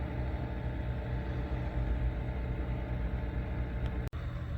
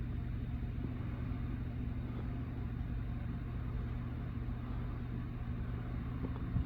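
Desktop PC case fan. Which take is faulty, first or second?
first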